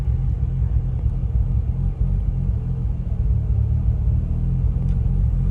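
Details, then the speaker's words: Bridgeported Mazda RX-8 rotary at about 3,000 miles: deep, lumpy idle surging and sagging after a massive misfire coming off a roundabout, with the engine light flashing. Owner suspects coils, plugs, injectors or apex seal failure. ">> That doesn't sound good. >> No, it's really bouncing everywhere, isn't it?"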